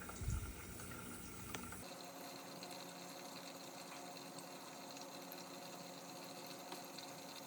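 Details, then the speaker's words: GE dishwasher (not washing, stuck in drain, FTD error) on test: quiet, even rush of water running steadily into the tub with no strain or clatter; normal water fill before the wash. "And watch it. It's gonna fill up, then start to wash."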